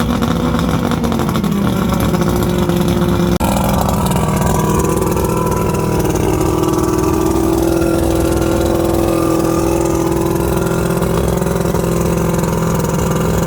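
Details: 1979 Steury X150 boat's 90 hp Johnson Seahorse V4 two-stroke outboard, out of gear, telltale plugged: steady even drone at constant pitch, no misses or knocks; runs good, could probably use new plugs.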